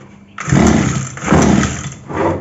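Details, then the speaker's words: 2-stroke petrol power sprayer filled with half a litre of petrol mixed with 20 ml of 2T oil: three pull-start attempts turn it over without firing. It fails to start; next step is checking the fuel supply primer bulb. "यह जो कि हमने मारे start नहीं हुई"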